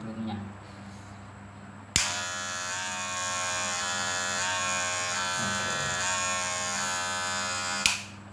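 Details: Wahl cordless hair clipper after the fix: bent metal blade-tension bracket that pressed down too hard corrected and metal-to-metal screws tightened; switches on with an even, steady high buzz for about six seconds, no rattle, then shuts off; now quiet and normal.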